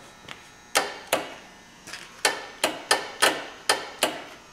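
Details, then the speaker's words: 2000 Polaris Sportsman 500 ATV, starter not working for a long time: pressing start gives a string of sharp, uneven clunks, about eight in four seconds, with no cranking; owner pretty sure the starter is bad, checking solenoid before replacing. "so uh that's what happens when you try to start it going to take this apart do some checks uh pretty sure I got a bad starter but uh going to do some checks on it just to make sure"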